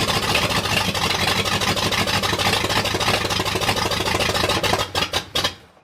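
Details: 1979 Ford F-250, brand-new 351M V8 first start on open exhaust manifolds: runs ragged and uneven, then sputters with weak pulses and stalls; owner can't get timing right, carb was gummed from storage.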